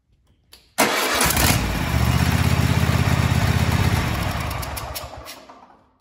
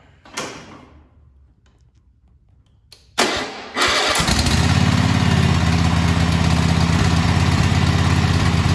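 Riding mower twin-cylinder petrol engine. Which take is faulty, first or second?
first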